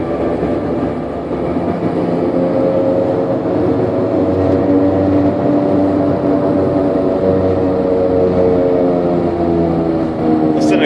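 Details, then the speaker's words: Extreme case of a failed wheel bearing/hub, likely driven on for thousands of miles: loud droning roar like an airplane, rising in tone with speed while driving; replace the hub before it fails. "case of a bad wheel bearing this thing is probably flopping all over the place but that's what sound you're gonna get change that hub before it blows up"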